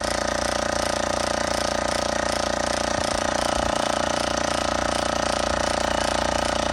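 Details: Oil-less air compressor: fast, even mechanical pulsing over a loud steady hum from a laboring pump; worn compression rings are the probable cause.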